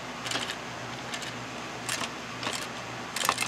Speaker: as you can as I'm sure you can hear there is something rattling inside which I'll explain that in a second